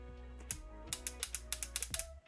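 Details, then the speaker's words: 1985 Tomy Chatbot robot, speaker unplugged, during repair: rapid sharp plastic clicks and ratcheting over a low motor hum as the talk mechanism never engages; owner suspects the motor, possibly gear slipping, corroded switch also noted; unconfirmed. "I think it's trying its hardest to start the speaking mechanism and this slider goes up when he speaks might be the motor that's got a problem"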